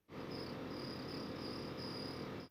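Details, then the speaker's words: Range Rover L322 4.4 TDV8: thin high chirping squeak pulsing about three times a second over fan hiss, only when the ventilation/AC is on; source unknown, owner links it to the AC, which still blows cold. "Tiene que ver con el aire acondicionado porque solo suena cuando el sistema de ventilación está encendido."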